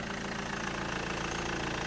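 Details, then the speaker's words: 2005 BMW 1 Series E87 with M47 diesel, 400,000 km, mic in engine bay: steady, even diesel clatter at constant idle with no chain rattle; possible squeak from alternator belt or pulley; normal idle. "No rattling from chains. A good sign. Maybe you hear the squeaky noise from alternator belt or the pulley itself."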